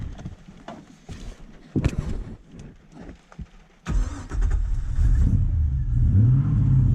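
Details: 2009 Toyota Hilux with LS1 Chevy V8 swap, Link Thunder ECU, stainless center-drop headers: starter cranks, V8 catches and settles into a deep even rumble that rises cleanly on throttle; normal start and revving.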